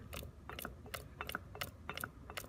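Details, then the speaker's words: Atlas Clausing 4800-series 12-inch lathe: with one gear setting selected, hand-turned gears give uneven sharp clacks and ratchety snaps as the gear grinds and crashes into the handle housing, binding the machine. "if you have that gear selected it crashes into that"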